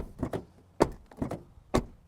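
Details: Car door closed after the striker is adjusted and tightened at home: each shut gives a single solid thunk with no rattle or second bounce; the latch is catching cleanly on the striker.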